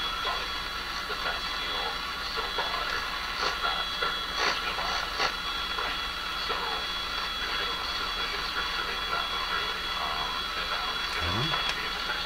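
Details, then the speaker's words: Sony TR-712 transistor radio, probing around the Sony B48 output transistors and varistor bias circuit: steady speaker hiss broken by irregular crackles and sharp pops; caused by a loose connection. "that's all it is it's the loose connection there okay solve that one"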